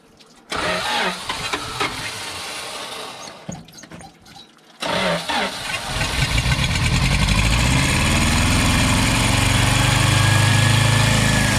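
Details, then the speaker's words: 1974 W200 with carburetor, being brought back to running: several cranking tries, then it catches and settles into a low, uneven idle that sounds ready to stall; rough idle, cause not confirmed. "you don't sound like she's gonna idle"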